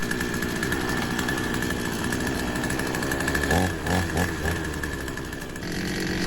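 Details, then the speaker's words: Two-stroke petrol chainsaw, unused for a while, just restarted after an ignition coil replacement and left to warm up. It holds a fast buzzing idle well above normal with brief dips and surges; revving high, and the idle looks set too high on the carburettor. "I'm just going to leave that to warm up a bit. it's revving high."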